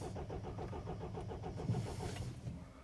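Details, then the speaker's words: 2007 Mini Cooper D diesel (R56), customer complaint crank no start with fault code 4A63 EWS tampering; steady even cranking at a regular beat but engine never catches. "so the customer's complaint is crank no start let's just confirm this there we go"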